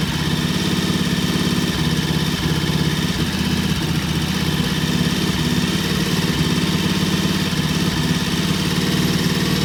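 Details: Vintage British T20M motorcycle at an idle set high for its "EP system": steady, even fast idle with a smooth low beat and no misses or knocks; normal.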